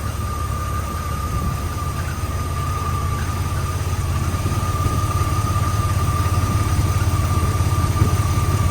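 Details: Jeep TJ after radiator replacement, idling, with excessive coolant pressure later traced to a faulty aftermarket radiator cap: steady thin whine above an even low idle, pitch constant; source unknown, temperature normal, no smoke.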